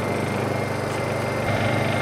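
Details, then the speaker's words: Honda EU2000i inverter generator running before a saw is plugged in; low, even, quiet hum with no knocks or surging, idling smoothly; normal idle. "this is what the engine sounds like very quiet"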